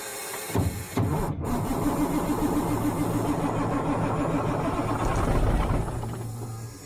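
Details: Old Ford truck (mobile home mover), sitting long, belt shredded the day before: starter turns engine over at three or four compressions a second for several seconds but it never fires; ECM suspected not switching on; crank no start.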